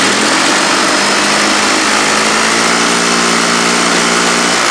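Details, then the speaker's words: HondaX4 mower build engine held at about 3,600 rpm in neutral with the muffler pipe: loud, steady high-pitched note, smooth and quiet with no knocks or misses. Healthy engine. "Oh, it sounds beautiful. Also nice and quiet though, right?"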